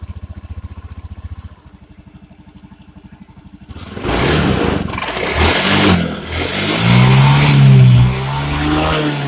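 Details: Honda Beat injection scooter that was sputtering, after replacing a broken spark plug and leaking plug cap (fuel pump not at fault): a few weak cranking pulses, catches, revs cleanly and drops to steady idle without stumbling; normal running.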